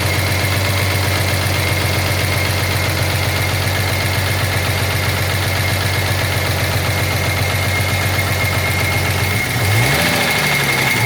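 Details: 1983 Jaguar XJS V12 at steady idle: fast even tapping knock over the low hum throughout; owner suspects a dropped valve seat, not confirmed.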